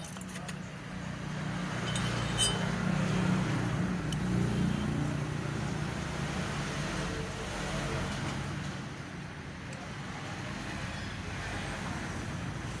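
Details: Yamaha Mio Soul i 125 scooter idling with a dull, hollow knock repeating about three to four times a second; suspected piston slap, unconfirmed.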